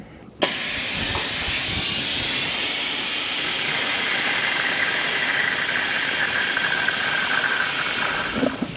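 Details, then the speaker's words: BMW 335d E92 brake fluid reservoir emptied by suction before ABS unit replacement: sudden steady airy hiss holding about eight seconds then tailing off; vacuum bleeder drawing normally. "donc pour ce faire on va dire vidéo le bocal moi je le vide par aspiration après une pompe manuelle fera très bien la faire"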